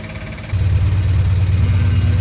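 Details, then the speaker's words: 1974 Dodge Dart Sport slant six, first run after 17+ years off the road, not hot, weak fuel pump: catches and settles into heavy, lumpy uneven low idle, an unhappy slant six; rough running, cause not pinned down. "that is an unhappy Slant six they're not supposed to sound like"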